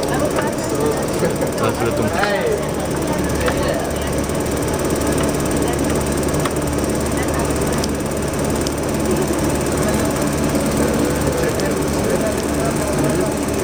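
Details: Ducted propeller in a MARINTEK (Trondheim) test facility experiment, with its strobe tuned to propeller rpm: a dense, gravel-like rattling crackle over a steady hum with faint tones above. The propeller is cavitating.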